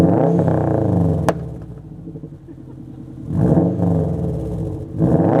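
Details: 2007 Subaru Legacy GT spec.B with Nameless catback (mid pipe, resonator, muffler delete) and HKS BOV: deep exhaust swells as revs climb, then falls back to a rumbling idle between blips, smooth and clean with no knocks; normal revving.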